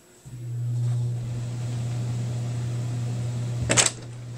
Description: This is what my heater sounds like when it turns on!